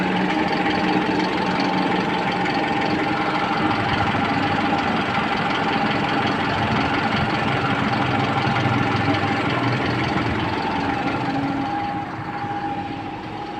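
Engine ticking over at a fairly even idle with a steady mid-pitched hum, no stumbling or stalling; it runs fine now.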